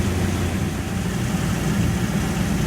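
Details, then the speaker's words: Idle after patching an exhaust pipe leak with Tiger Patch muffler tape: steady, low, even idle with no puffing or ticking; the exhaust leak is gone and the engine idles normally. "you can hear it it definitely solve the problem the exhaust leak is completely gone"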